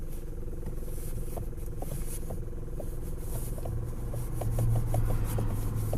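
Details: Hyundai Elantra HD: sharp light knocks coming irregularly, a few per second, over a low engine hum; worn steering shaft universal (cross) joint knocking.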